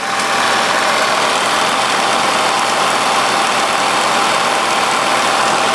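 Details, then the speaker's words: 1946 Victor 40B projector after oiling and freeing the mechanism, case open, at sound speed, amplifier not yet worked on: even, steady whirring clatter of gears with no knocks, squeals or speed changes; quieter with the case closed. Normal, smooth running. "It's um a lot of gears and moving parts, so it's not going to be silent, that's for sure. But it's in a case, and when you close the case, you don't hear the mechanism that much."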